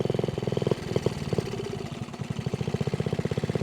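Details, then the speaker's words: Honda Z50A mini trail bike, first ride after about 30 years stored, no air box fitted: an uneven, lumpy four-stroke idle that stumbles and never picks up revs; rider suspects too lean. "I won't come off idle maybe that maybe we're too lean let's try that whoa who knows I don't have an air box so maybe I was getting too lean"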